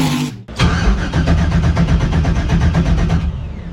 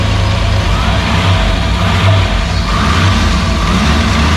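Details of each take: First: Freshly rebuilt Maliboom engine, first start attempt, starter button hit repeatedly after it had only clicked: a short burst of fast, even cranking stops after three seconds without firing; the starter engages intermittently. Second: Freshly rebuilt "Maliboom" V8 on its first fire, running with the mufflers on after the oil pressure came up: a deep, steady, even idle rumble with no knocks, misses or rattles. Normal healthy idle.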